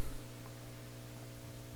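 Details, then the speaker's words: Hammond M3 organ amplifier during service, multiple inputs left open and unterminated: quiet steady low hum with no crackle or popping; acceptable residual hum, and the amplifier is working. "so you are going to get a little bit of hum that seems acceptable so the amplifier is working right now"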